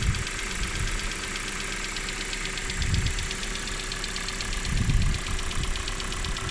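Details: 2019 Kia Cerato (Forte) BD with Nu 2.0L MPi engine at cold start-up idle: quick even light ticking keeping pace with engine speed; source not yet pinned down.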